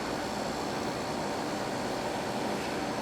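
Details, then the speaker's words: Samsung 5,000 BTU window AC (about 2000, R-22 rotary compressor) after repairing corroded capacitor power wire, ~72°F outside: on low cool, steady fan rush with low even compressor hum, blowing cold; normal. "You can hear it already. Compressor's getting warm water."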